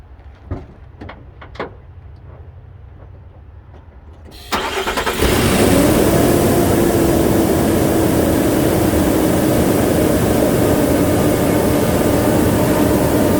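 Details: 2016 Nissan NV2500 V6 after fan clutch replacement: quiet cab, then the starter catches and settles into a smooth, even idle with a steady, soft fan hum; healthy normal idle.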